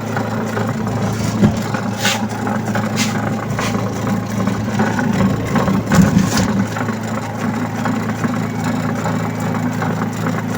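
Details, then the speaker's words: Astro spin dryer, owner reports noise underneath while spinning, tested loaded with clothes and back cover off: steady low hum with uneven rattle; noise briefly stops then returns, traced to a loose suspension spring rotating underneath. "Tingnan natin kung tatahimik. Nawala. Nawala siya. 'Di ba? Ayon, bumalik na naman. So kung mapapansin ninyo 'yung ayon yung spring na umiikot."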